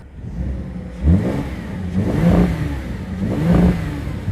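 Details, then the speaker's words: Audi A5 S line V6 at auction: three quick throttle blips, revs climbing cleanly and falling back smoothly with no knock or rattle, rev-limited at idle; healthy engine. "it sounds good i love that i like it it'll limit yeah it limits it on idle well that engine sounds perfect i'm liking it a bit more now"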